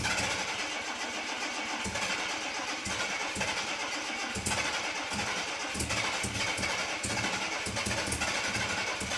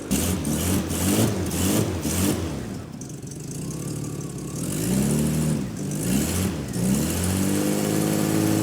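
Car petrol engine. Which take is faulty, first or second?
second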